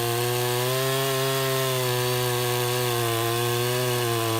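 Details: Husqvarna 353 chainsaw after gas line and chain drive repair and carburetor tune, cutting: steady high buzzing pitch under load, sagging slightly and pulling right back; running clean and strong.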